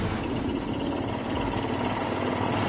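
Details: Easyride 150 motorcycle single-cylinder engine running on its own after sitting 8 months, with water and rust in the tank and carburetor cleaned: a steady, busy, rattle-free beat; it now runs normally.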